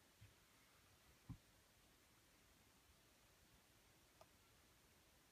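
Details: Parrot MKi9200 professionally installed in a 2001 Jeep Grand Cherokee Limited with Infinity Gold system: near-silent rear right speaker with scattered pops, then a loud crackling squawk when surfing the menu or using the phone.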